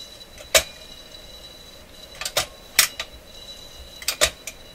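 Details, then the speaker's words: Perpetuum Ebner REX automatic record changer in a Loewe Opta Type 5966 console: irregular sharp clacks and clunks about every two seconds as the changer mechanism cycles noisily. "So lots of noise in the mechanism."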